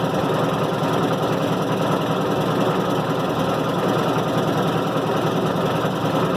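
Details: 1990 Maytag LA211 washer on spin cycle: a steady droning groan with a rough whine under it, even after belts, brake and brake bearing were replaced; source still unidentified.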